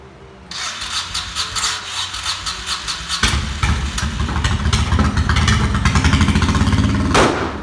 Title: 1996 VT1100 with ebay CDI, misfire, flames